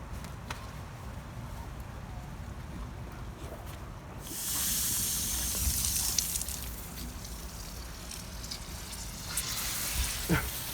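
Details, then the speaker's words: Home sprinkler system zone after replacing a non-water-resistant wire connector at the valve box: silence, then a soft steady hiss of pressurized water through the pipe, too weak to lift the sprinkler heads; loosening the solenoid shows the valve diaphragm is not moving. "so I can hear the water that's it's pressurized it's coming it's going through the pipes it's just not enough pressure to actually lift the sprinkler heads"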